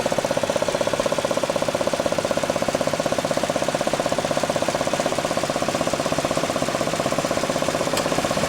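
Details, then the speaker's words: 2008 Chevy Equinox, the day after a recall repair to cylinder 3 spark plug; puttering appears once driving. Sharp, very even tick about four per second over a quiet running engine, seeming to come from the distributor area; nothing found loose, cause unknown. "But I looked in here and it just seems like a puttering, but I can't determine where it's coming from. It just looks like it's coming from that distributor area, but I don't see anything loose."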